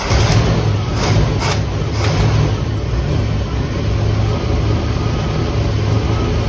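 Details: 1958 Chevy Impala 348 V8 just revived after years of sitting: deep, lumpy idle with a few louder surges early on. The ignition timing is set way too advanced, and dwell is way off and unadjusted. Rough idle.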